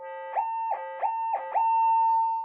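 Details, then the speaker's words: Minelab SD2200D metal detector repaired after a lightning strike, with a transistor and other parts replaced and no cancel coil fitted, tested by sweeping a screwdriver over the coil: steady tone with four quick warbles, then steady again; normal target response. "Yeah, she's all working. So, um yeah. Uh, don't let your detectors come in proximity to lightning."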